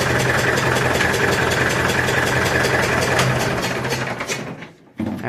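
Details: Massey Ferguson 65 diesel tractor after battery replacement, fast idle during alternator test: steady brisk even diesel clatter, no misses or knocks; voltage about 13.2 easing to 12.9–13, alternator charging; normal fast idle.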